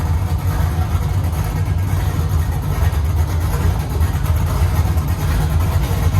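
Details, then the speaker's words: LS-swapped C10 pickup at first fire with unknown aftermarket cam, not yet tuned: deep, uneven, choppy idle loading up and letting go in a loping rhythm. "guys i guess this thing's got a cam in it huh i have no idea what it is but i have the cam card"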